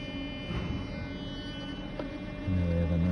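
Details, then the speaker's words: Swirl flap actuator driven on the bench by a budget actuator tester at about 15% duty: faint room hum, then a short low motor buzz rising and holding under a second as the flap sweeps smoothly; normal operation. "we have a nice sweep there. And we can go down in little increments."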